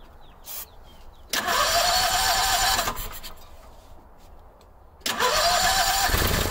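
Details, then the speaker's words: Howard Price Maverick 620 (Cub Cadet) utility vehicle in neutral, parking brake on, fed by a temporary electric fuel pump: cranking bursts, then the engine catches, revs and sags within seconds, not running on its own. Owner suspects a gummed-up carburetor. "i heard it hit a couple times there where's my car cleaner"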